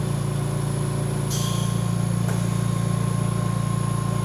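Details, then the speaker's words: VMUS-DG1 ozone generator, corona cell fed oxygen from concentrator, output turned down from 100% to 10%: steady low electrical buzz with fast even pulse, pitch falling with ozone output; normal corona discharge buzz. "Once again, as we go from 100% down back to 10%, you continue to hear that change in the buzzing noise that happens as the amount of ozone that is being produced increases and decreases."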